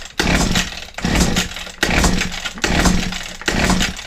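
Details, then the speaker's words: Old Husqvarna 22R trimmer with fuel put down the carb throat, choke and throttle on: five recoil pulls with compression but no firing. Possible no spark. "Bit of choke. Bit of throttle. Nothing."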